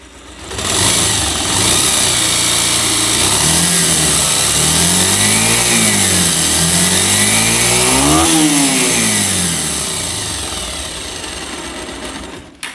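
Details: Bajaj Pulsar single-cylinder bike revved up and down twice, harsh rattly top-end noise over the exhaust; worn piston rings, fixed by installing new rings and piston.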